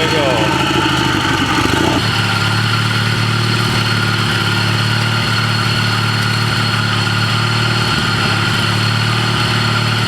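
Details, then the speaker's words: Old Ariens walk-behind mower fitted with a used lawnmower engine, idling: thin constant metallic whine over steady idle; suspected worn transmission input pulley shaft bushing or bearing. "It sounds like the input pulley on the transmission, the bushing or bearing, probably bushing for the input shaft, sounds pretty wallered out. That's quite a bearing noise coming from the transmission."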